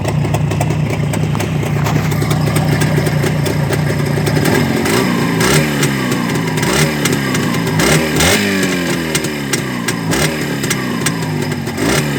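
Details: Two-stroke engine after repair: settles into a crisp, even idle, then blips up and back down cleanly with no misfire or knocking; normal running.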